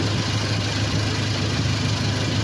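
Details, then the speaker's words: Toyota Innova idling with the AC on, charging at 13 V: smooth, even low hum with no misses or knocking, now quiet. The earlier noise and rough running were attributed to spark plugs needing replacement; the muffler still needs repair. "tahimik, diba? Oo. Tahimik na, no?"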